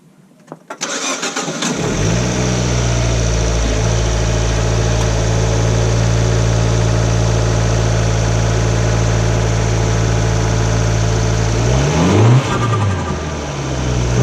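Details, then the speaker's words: Fiat with turbo, just fitted with a Road Race Motorsports intake: engine catches after a brief crank, settles into an even idle, then revs smoothly with a soft turbo whoosh; sounds better, healthy running. "Well, that sounds a lot better. Got the nice turbo whoosh and everything."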